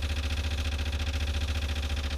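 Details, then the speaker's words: Corvair engine in Saberwing homebuilt aircraft, first-start fuel line checks: constant low buzzing hum pulsing evenly about a dozen beats a second, no surging; fuel pump running normally before it later cavitates as the tank runs low. "in just a second you can hear the pump you can hear the pump go in there"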